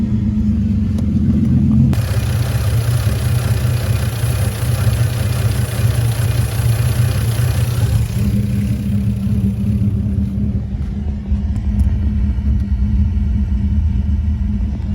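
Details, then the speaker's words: Lexus IS300, sat about two months with a dead battery: low, uneven lumpy idle. Misfire because two ignition coil wires were pinched by the throttle body when tightened during a spark plug job; later resolved. "i ended up finding out earlier today that uh the coil like line um was pinched um two of them were pinched through the throttle body when i was doing the spark plugs"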